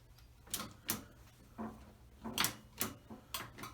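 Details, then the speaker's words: Outboard motor being rewired after broken wires found: relays click and lights come on, but the key switch gives only a sharp dry click with no starter motor turning or cranking. "We get something from the switch here, and all I get is a click."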